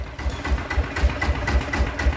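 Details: Blue Bird small petrol engine idling evenly with steady low thumps about four a second and no rattle or grind, after repair of a shudder resembling a failed bearing, with weight plate added.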